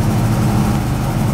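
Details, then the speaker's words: Ford Fairmont at idle with the old-style exhaust cutout fitted: deep, lumpy idle with a loose, buzzy flutter on the exhaust note. The bent cutout rattles badly and is being replaced with a new low-profile style. "but as the car was running was rattling like crazy was driving me nuts so just just sitting there"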